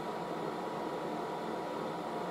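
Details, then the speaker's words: Late-1960s General Electric HD-8C bonnet hairdryer on the low setting, some heat going in, air coming out the top: a soft, even rush of air over a faint steady hum, no rattles or surging; normal running on low. "so that's some low now so there's a bit of heat going in"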